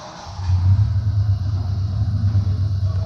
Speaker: and there you have it no yeah engine running